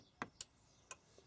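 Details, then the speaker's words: Chinese diesel parking heater whose fan had rubbed the casing and later cut out: on start, a few sharp circuit-board clicks, then error 06 and no fan or burner. Heater fails to start; fan spins freely by hand. "Clicks in, error 06. Now when I do it, you listen. The circuit board clicks and nothing happens."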